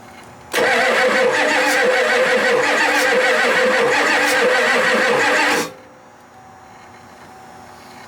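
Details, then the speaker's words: Ford F-250 7.3 non-turbo diesel that sat 10+ years; fuel supply uncertain (gauge reads full, likely faulty). About five seconds of steady, even cranking that never catches. Afterwards a burning smell and injectors leaking or spraying, possibly loose, were found. "okay that was sounding a lot better I think it's slowly coming around"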